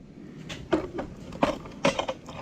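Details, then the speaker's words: 2009 Cummins 6.7 diesel injector energized from battery with air pressure, heard through bypass at empty injector hole: crisp solenoid clicks at irregular intervals with faint air hiss; injector solenoid working normally. "so I touch it here you can hear it clicking I don't know if you can hear that and you can hear it going through the bypass to the other injector hole that's empty"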